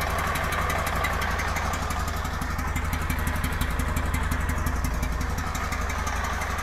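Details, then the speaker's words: 1999 Honda Valkyrie Interstate revived after sitting for years, carbs not yet rebuilt and still leaking: a rhythmic puffing chuff over a lumpy idle, felt puffing from the water drain. Exhaust leak. "like it's got an exhaust leak [Applause] it does I can feel it puffing out the little water drain here"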